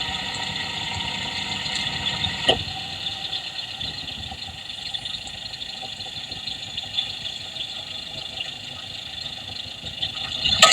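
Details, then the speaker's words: Idling engine heard through an electronic stethoscope probe on a fuel injector: steady, even injector ticking over a smooth idle, no knock or rattle; injector sounds normal, not the rattling noise being hunted. "So ayun guys no, narinig natin yung tunog ng ating fuel injector. Ayan. So so far sa tingin ko okay pa yung kanyang ingay. Normal pa."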